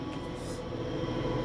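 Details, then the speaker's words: Samsung 10 kg washer-dryer after repair of a loose drum with broken shaft: smooth even low rumble during spin, only motor noise, no knocking; faint end noise from dryer fan with damaged bearing. "sereninha máquina sem barulho nenhum só barulho do motor funcionando"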